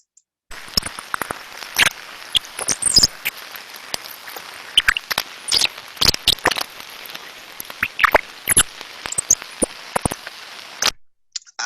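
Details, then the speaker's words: Ultrasound recording of an extreme bearing failure: irregular high-pitched chirps and squeaks, canary-like, crackling over steady hiss; lack of lubrication and physical damage occurring. "those sort of sounds we can hear there is a lack of lubrication physical damage occurring and we pick up things like this all the time"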